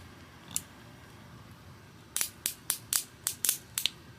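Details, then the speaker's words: Mercedes M272 timing chain tensioner, manually reset and turned backwards by hand in a quiet room: seven sharp, crisp ratchet ticks about four per second; normal tensioner ratchet click after out-of-time check engine issues. "So, anyways, got that all figured out and now see, you turn it backwards and you're going to hear this sound here."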